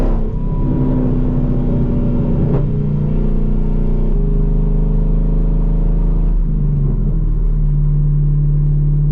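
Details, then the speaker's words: 5th-gen Chevrolet Camaro SS driving above about 40 mph under heavy load: booming low drone over a steady engine hum with violent shaking, absent with a slight rev; motor mounts doubted, loose transmission bolt suspected, cause not yet found. "But, it only happens and it's only really noticeable under some heavy load."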